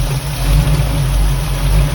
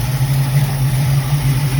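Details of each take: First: Carbureted Mustang with recent 1-inch intake spacer swap: deep, steady idle sitting slightly high with a soft uneven lope and rich mixture; owner plans to readjust idle mixture screws and lower idle, timing left alone; possible remaining vacuum leak. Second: Carbureted Mustang, cold start with choke wide open, no throttle feathering, after a 1-inch spacer swap fixed a vacuum leak: low, steady, smooth burble with no stumbling or hunting, far better than before.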